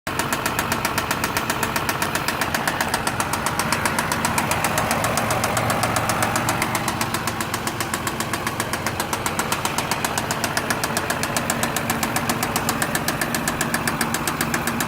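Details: 2006 Mazda 6 V6 idling with sharp, even ticking about four a second over steady petrol idle; owner cannot locate it, thinks it comes from the top end but is unsure.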